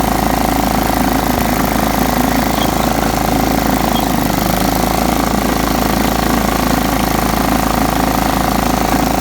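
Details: John Deere STX 38 riding mower, revived with a new battery: steady, even single-cylinder drone at constant speed, no misses or knocks; normal running.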